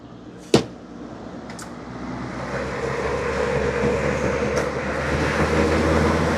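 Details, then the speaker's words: Lasko B20301 Cool Colors box fan from 2020-21 with a cracked blade, before cleaning and balancing: single click, then steady hum building as fan spins up with rough buzzing throb from badly out-of-balance blades. "Here's an update on the buzzing. You hear it? You can see it is horrifically out of balance, like all these fans are."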